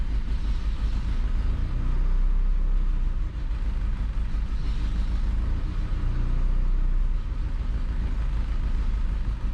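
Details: 1988 Nissan D21 truck, 2.4L Z24 engine: low idle that swells and sags every few seconds, rising then dropping back unevenly; rough surging idle, vacuum line repair.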